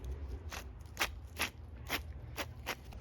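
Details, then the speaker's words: BMW 335i N54 with Spec stage 3+ clutch and billet flywheel, failed to disengage: removed release bearing turned by hand gives rough, irregular grinding crunches, gritty and not sliding easily, with scoring; worn out versus the smooth new bearing. "Does not slide easily. It's just a mess. It sounds all grindy and gross. Has a weird scoring on it."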